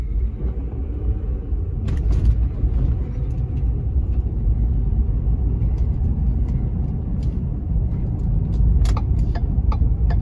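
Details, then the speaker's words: 2010 Ford F-150 4x4 on a road test over the same bumps after replacing the stabilizer bar links, one of which had a loose joint: steady low road rumble with no clunking or thunking from the front end; repair verified. "all right it's looking pretty good here those bumps that i hit earlier did not make any unusual clunking noises in the front end"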